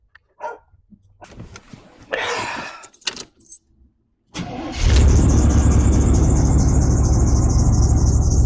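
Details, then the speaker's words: Early OBD1 GM vehicle with a service engine soon light: after handling clatter the engine starts, and a thin high belt squeal pulses over the idle. The belt needs replacing, and the engine also has a misfire. "hear just St squeaking from the belt and hear [Music] that so you definitely need to belt"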